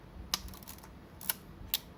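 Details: Yashica Electro 35 GSN rangefinder camera after repair of a sticking film advance lever: four crisp, clean clicks about half a second apart as the shutter is released and film advanced, no grinding or hesitation; working normally.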